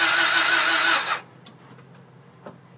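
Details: 1996 Acura Integra GSR, stock, 230k miles, timing belt done at 190k, distributor recently replaced, spark present at plug and fuel pressure at filter: about a second of cranking without catching; cranks but won't start, cause not found.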